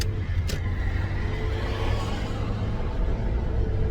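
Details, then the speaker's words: 2008 Toyota Tacoma cruising on a new Walker Quiet Flow stainless muffler that replaced a poor one: low, even rumble, no drone or boom. Definitely quieter; healthy exhaust that now sounds like a regular car. "Definitely quieter, without a doubt. Oh yes, yes. This Walker muffler is a big change. Yeah, it just sounds, it's like a regular car now."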